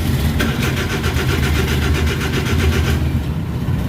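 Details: Suzuki DA64/DA63/DA17 cranks but won't start, with no ECM reading, no transmission indicator lights and code P0707 (shift switch malfunction): the starter spins evenly for about three seconds without firing; the cause was a blown fuse.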